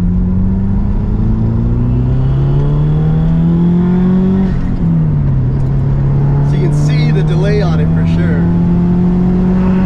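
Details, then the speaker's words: 2001 Subaru WRX "Bug Eye", full throttle in second gear from 2,000 rpm; engine note climbs slowly then pulls harder as boost arrives around 3,000 rpm; normal turbo lag. "I love this damn car so you probably could have S you could probably see that that boost lag you know"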